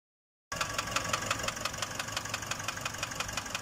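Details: Nissan Urvan NV350 diesel at only 45,000 km with a noisy engine: sharp, crisp, evenly spaced ticks at nearly three per second over a light idle. A clear knock; cause not yet found.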